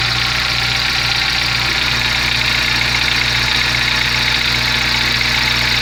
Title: Gol g4 barulho no motor